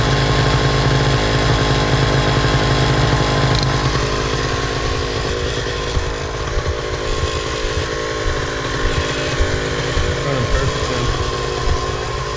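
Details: Miniplane Top 80 paramotor two-stroke running after the secondary ignition coil wire and spark plug boot were replaced: a steady, even buzz holds constant speed with no misses or rattles. It runs cleanly after the repair.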